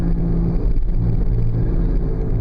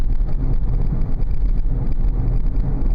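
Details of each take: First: 2000 Oldsmobile Silhouette minivan while driving: low steady droning hum under road noise, louder as speed increases, briefly fading in a left bend; worn front wheel bearing hub assembly, later replaced. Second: 2000 Oldsmobile Silhouette minivan test drive at 30 mph after replacing one front wheel bearing hub assembly: steady low road rumble, loud hum gone, bearing now sounds healthy.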